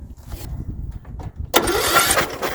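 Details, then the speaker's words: Riding mower with major fuel issue, cylinder hydrolocked by carburetor flooding, cranked with spark plug out: starter spins hard with loud hissing rush as raw gas sprays from plug hole; owner hopes it was only fuel left sitting in the cylinder. "a lot of gas came out of there maybe it was just what was sitting in the side of the cylinder"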